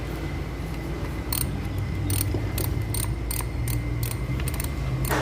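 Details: Honda Civic 12 V relay in the fuse box chattering with sharp dry clicks two or three a second over a low steady hum.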